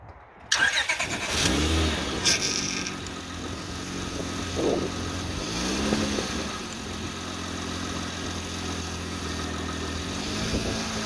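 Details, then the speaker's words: Honda/Acura V6 (2003–09) after the power-steering whine fix, a new O-ring on the pump inlet tube and a refill with Honda genuine fluid: the engine cranks, catches and idles quietly while the wheel is turned; mild load changes, no steady pump whine. "And then we're going to start up the car. We're going to turn the wheel back and forth a couple times to make sure it's good, and that'll be that."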